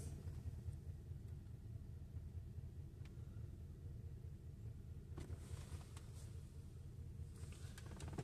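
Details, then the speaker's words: 2007 Mercedes S550 with a misfire chasing despite replaced parts: low, uneven idle that rises and sags and shakes as the idle surges, with the number eight cylinder injector shut off and misfire code stored; misfire from injector shut off. "so uh it's saying number eight is missing and again we are surging injector is shut off at the moment"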